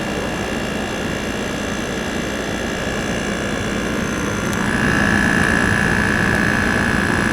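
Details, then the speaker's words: GE 5000 BTU window air conditioner heard from outside near the slightly rusted outdoor side and compressor, lots of heat from the back; steady even low hum with faint higher whine brightening midway; normal compressor running. "This sound never gets old. We're gonna go all the way down and take a look. Yeah. Man, that just sounds so. This is the best sounding modern AC, man."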